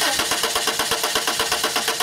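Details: 1995 Subaru Legacy 2.2, waste-spark ignition: starter spins at about eight beats a second and engine never fires; no spark, PCM trigger pulse present, faulty igniter confirmed and replaced.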